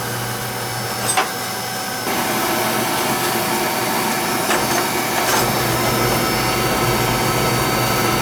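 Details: Oil-fired lowboy rear-flue furnace during annual service, TT jumped out: steady, even burner roar with no surging, sputtering or pulsing. Draft over the fire is good; burner running normally.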